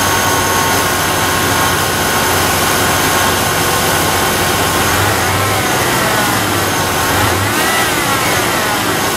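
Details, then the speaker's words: Second Cardone remanufactured power steering pump, noisy right out of the box (the first lasted a month before whining): a steady high whine over the idle that wavers as revs change. Suspected bad pump bearings; a used salvage pump later fixed it. "this is the second one in too much noise here right right out of the box sounds like it has bad bearings and rigid whatever"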